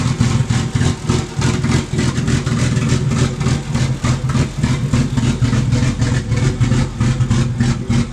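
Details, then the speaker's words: Barra-swapped Mustang drift car fires up but idles very poorly, lumpy with irregular stumbles; AFRs pegged lean over 17, cylinder one reading 40% colder; misfire from a faulty injector. "it fires up it idles but something is very much not right it is running very very poorly"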